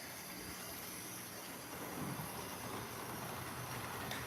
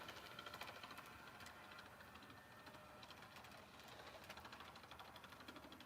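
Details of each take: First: HO-scale Play Art (possibly Mehano) toy-set locomotive after its worn, unoiled motor armature bearings were swapped top for bottom: steady small-motor hum under light track rattle, holding speed evenly without surging; it runs much better now, though not perfect. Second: HO-scale model locomotive: quick, uneven thumping about three beats a second as the small motor runs, from a worn drive gear. The owner plans to order a replacement gear.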